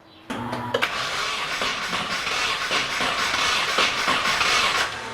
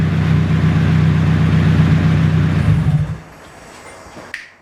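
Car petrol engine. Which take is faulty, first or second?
first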